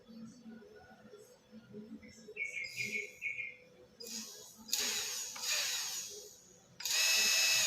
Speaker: oke, jalan. dia akan otomatis berputar. Ini untuk berjalan mundur ya.